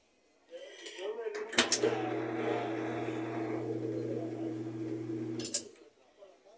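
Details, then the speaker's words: Whirlpool top-load washer on spin cycle: steady motor hum for about four seconds but no rising spin rush, and the tub does not turn. Broken tub support; agitator bolt also rotted; fixed by replacing the tub. "Ahí se oye que ya está haciendo el exprimido. Entonces vamos a ver si la tina está girando. No se ve que esté haciendo el exprimido."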